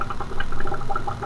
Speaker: I do have to fix the Easy Flow Air Lift tube here as I've done in another video you can hear it's pretty noisy and this one doesn't flow the best